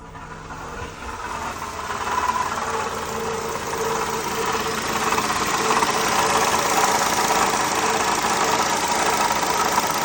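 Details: 2007 Honda Accord at idle: fairly even rattle about two per second over a steady idle, diagnosed as a worn water pump, fixed by water pump replacement.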